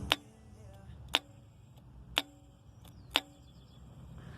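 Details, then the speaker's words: Pontiac Grand Am EGR valve bench-tested with current applied: four sharp, clean clicks about a second apart as the piston moves; valve working normally. "If you inject current into it, the piston that is going up and down is going to thunder it means that your valve is fine if you do not do this it means that your valve has already failed"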